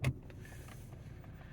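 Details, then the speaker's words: 2012 Ford Mustang 3.7 V6, sat 3 weeks in Canadian winter, gauges going haywire in park; pressing the brake gives one sharp click then a low steady hum — park shift interlock solenoid working normally; owner later suspected the gear selector button. "Now my shift interlock seems to be working because I can hear it when I'm pushing the brake. I can hear it clicking."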